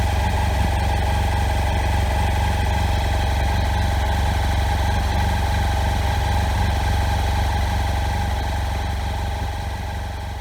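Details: BMW F800GS idling with an uneven, lumpy beat and knocking, running rough with misfires. Old, worn standard spark plugs were the cause, and replacing them with NGK Iridium plugs fixed it.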